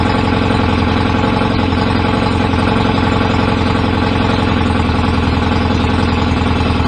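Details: BSA A50 twin bought as a non-runner, first start with newly fitted pattern open exhaust pipes, needed throttle to fire: loud, choppy, uneven idle; owner suspects ignition timing a bit off, to check with strobe, unconfirmed; rough idle.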